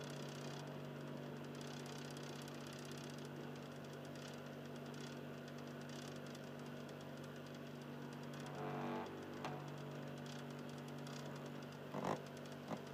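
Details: Xbox 360 Slim with a Philips DVD drive in standby: a soft steady low hum with faint rough grinding and two brief clunks. The drive motor grinds, at a lower tone than before.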